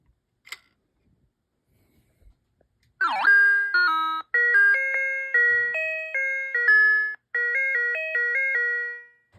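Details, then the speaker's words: Early Bally solid-state pinball sound board after replacing a chip: clear electronic chime tones in bursts of changing pitch when crediting, clean and undistorted, so the sound board now works properly. "let me credit it up this is my credit so I hit that that sounds good and then I'll hit the start button which is right"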